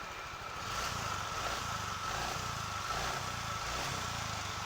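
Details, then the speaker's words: Motorcycle submerged 24 hours in saltwater pond, just restarted by kick starter after repair: quiet idle with an uneven, slightly lumpy beat and faint steady whistle; running slightly rough, presumably from the immersion, unconfirmed. "Nah, ini sudah hidup motornya teman-teman. Motornya sudah hidup, tapi suaranya sedikit kasar teman-teman. Nah, karena ini motor jatuh ke tambak teman-teman."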